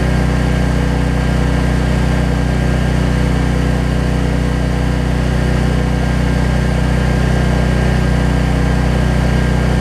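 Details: Troy-Bilt 550-watt generator, after a no-spark fault was traced to the low-oil sensor module; runs with nothing plugged in, a steady even drone of constant pitch with no misses or knocks; output reads 264.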